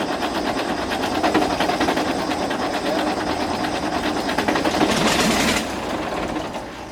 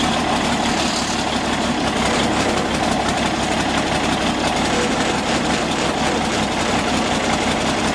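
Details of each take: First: Galion T500 motor grader diesel that sat about 14 years since 2007, first start attempt: steady starter churn at about three turns a second with no firing. The fuel had been left shut off after removing the pump the day before. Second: Galion T500 motor grader diesel, sat 14+ years, running after the fuel was turned back on: steady, even diesel clatter at constant speed with no misses or knocks; engine now running cleanly.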